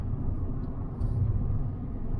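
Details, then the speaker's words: December 2012 Fiat 500 1.2 Lounge auction car on a test drive pulling away: smooth low rumble building evenly with no knocking or hesitation; engine sounds healthy, normal running under acceleration. "initial signs are the engine sounds bang on as a general rule i'm gonna jinx myself now as a general rule these engines are super tough"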